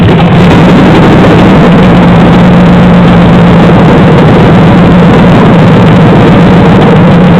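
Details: 2007 5.3L LH6 V8 with DOD/AFM, idling with passenger valve cover off: loud busy idle with clattery lifter tick from the number 4 DOD lifter being locked down.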